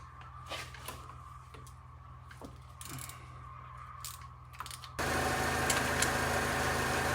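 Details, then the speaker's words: Fake Aston Martin replica kit car, carburetted engine cranked while distributor turned for timing: starter churns steadily about four beats a second but never catches; no-start traced to gummed carburettor linkages, cleaned afterwards. "So I started undoing the carb, and then I looked at the linkages behind and they're really gummed up."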